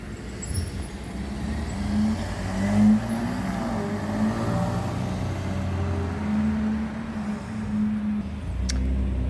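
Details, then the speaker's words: Holden VF Calais V6 after high-flow cat upgrade and two intermediate restrictions removed, heard outside driving past: smooth throaty V6 rumble at moderate volume, steady, no rattles or drone; normal exhaust note. "yeah, it's got that V6 throatiness about it, but not over the top, like some things that drive past here."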